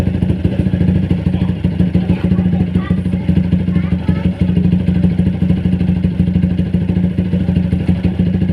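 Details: Motorcycle running after service with Uma Racing HP3000 fully synthetic 4T oil; fast uneven knock about three per second over low rumble, still there though lighter: engine knocking.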